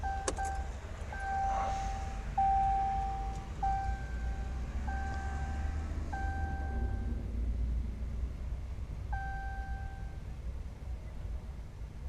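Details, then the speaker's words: 2014 Ram Mega Cab 6.7 Cummins diesel after CAT 1R-0750 fuel filter and BMP housing install: high even electric hum cycling on and off — normal lift pump priming. "So anyways, let's go prime it and fire it up and see what happens. Can hear it priming. Stops, let's prime it again."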